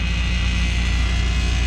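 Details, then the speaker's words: Johnson Controls water-source packaged heat pump in a ceiling, running after drain blowout: steady low hum with a buzzing edge from two metal panels touching; fixed by placing something between them. "it's this this metal is touching with this one you see you don't hear it no more"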